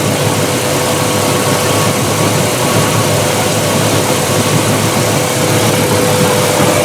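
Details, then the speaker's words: Mercruiser 4.5L 250 hp V6 in a Chaparral boat, after replacing a faulty ignition coil flagged by Vesselview: fired up on the water with an even, steady idle, no misses; later ran above 4,000 rpm without faulting. "Well, I've been running the billagege blower, so I'm going to turn it off cuz it's quieter. Let's try let's fire it up so far so good."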